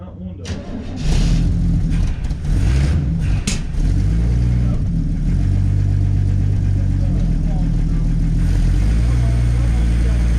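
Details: 1967 Chevy Nova barn find, last on the road around 1982–83, first start on starting fluid with very low oil: lumpy, uneven low rumble that wavers and never settles; idling rough after sitting.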